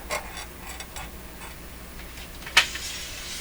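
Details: Telefunken record changer in good operating order, due for basic maintenance: quiet, unhurried clicks and light mechanical ticks, roughly one a second, with a sharper snap near the end as the last-record sensing actuator works; changer cycling normally.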